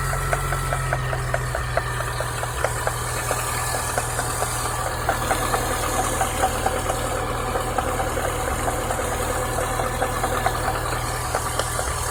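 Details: Chevrolet Niva engine at idle. A light, fairly steady ticking knock rides over the idle without building into a deep thump; the cause was a water pump with play, which can be checked with the belt on or off.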